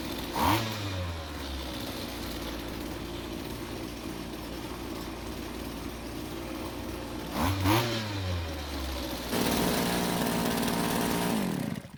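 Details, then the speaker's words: Rare vintage Green Machine string trimmer, two-stroke: it starts, blips up and settles to a clean, steady idle with crisp revs, so the engine runs well. However, the head won't spin; suspected causes are the clutch, drive shaft, gearbox or shaft coupling. "As you can hear, the engine sounds very good, but as you can see, the head isn't spinning,"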